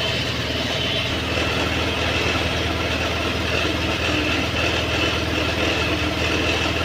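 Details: A Honda Activa BS6 scooter, started after a sensor problem repair with the hose clamp tightened, idles at a steady, even putter with a light high hiss and no hunting or misfires; idle is normal.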